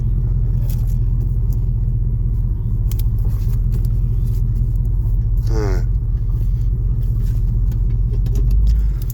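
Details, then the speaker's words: 1976 Chevelle Malibu with newly installed Turbo 350 automatic transmission (possibly shift kit), test drive: steady low rumble, no flare, slip or harsh clunk; shifts smoothly, unlike the previous transmission that slipped in reverse. "yes we are going 55 third gear with no problems yeah baby"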